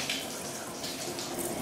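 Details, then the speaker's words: Tub spout after flushing and refilling a water heater; full, steady rush of water with no sputtering or air spitting, lines purged and system refilled normally. "and looks good we got a full stream of water now coming from the tub and from the sinks and we should be all good"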